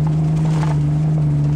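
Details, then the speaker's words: Field race: deep, flat drone holding one low pitch at full throttle, never climbing; the engine is bogging under load and won't go. "can't keep up with him just Bing down too much you can hear the engine bogging look at it it's deep no"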